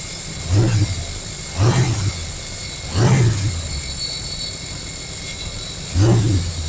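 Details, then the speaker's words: 1929 Model A truck engine with a fuel leak dripping: low, lumpy note with revving blips and an uneven beat, as if one cylinder isn't pulling. A dead cylinder is suspected, not confirmed. Misfire. "Why does it sound like we got a dead cylinder?"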